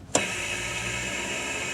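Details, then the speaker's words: Sudden pop then a steady even air rush as an M939 truck's spring brake valve vents normally after the stuck valve was oiled through its air lines, which should apply the spring brakes. "that's us venting it was doing that before so right now my spring breaks are coming on or should be"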